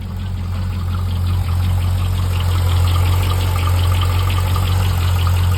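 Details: Chevrolet C5 Corvette V8 at idle with a light, fairly regular tick over the low rumble; owner suspects piston slap or lifter failure, not confirmed.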